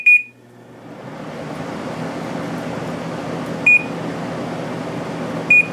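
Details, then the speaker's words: Samsung 10,200 BTU window air conditioner from 2007, Samsung compressor, spring startup; short beep, fan comes up smoothly while compressor waits on its delay after plugging in, two more beeps; normal startup with compressor delay. "This one has a compressor delay after you plug it in, so it's not going to start for a"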